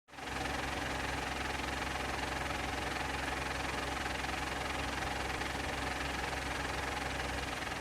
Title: Insignia VXR .... clutch noise (after replacement!)